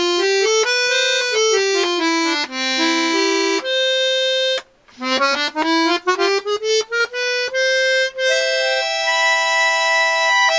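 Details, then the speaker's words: Vintage Scarlatti 24-bass accordion, treble-side reeds after tuning to A440: clean, steady notes held and run through the scale with no buzz, rattle or wavering; the reeds play in tune. "I've now tuned the set of reads on the treble side which are tuned to the pitch of the accordion which was a440 so I've got them all tuned up and this is what they sound"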